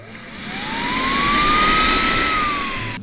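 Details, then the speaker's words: Secondary air pump from Bugatti Veyron, bench-tested off the car: whirrs up to steady high whine then cuts off cleanly; pump works, not heard at startup, so relays may not be switching them on. "Both of them work. We haven't heard them when they've started up, so the relays might not be flicking them on."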